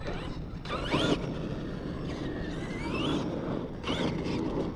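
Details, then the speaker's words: Arrma Outcast 8S EXB RC car being repaired after a skate park crash, drivetrain turned over: electric drive whirs up and down with an occasional faint click that doesn't come every time; intermittent drivetrain click, source not found. "there's still something clicking in here there's a hear it there's something I I don't hear it every time but here it went like weird"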